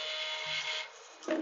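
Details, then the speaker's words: Prusa Mk3S printer: new faster homing procedure, short bursts of clean stepper whine then a quick higher-pitched move; homing works fine. "so this is the new home in procedure this is still three by three but it's so much faster than it used to be but this appears to be working fine"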